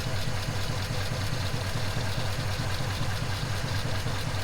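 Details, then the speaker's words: 1939 Ford Deluxe sedan flathead V8 idling after long storage with fuel stabilizer, 6-volt system, temperature at 160, not overheating: even, steady low burble, smooth firing, no knocks or misses; normal healthy idle. "Well, that is one running Flathead. I'm glad I put fuel stabilizer in it. Seems to be running like a top too. Not overheating. Sounds healthy."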